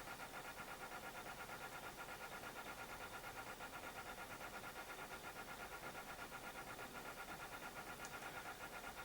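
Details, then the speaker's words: Sony BDP-S380 Blu-ray player, after power-supply Schottky diode replacement: disc spins steadily but never reads Blu-rays or a CD, with a soft rhythmic rub about three times a second; drive to be removed and opened. "I even tried an album and it's just spinning and spinning and it sounds like there's a lot of shoe shining going on."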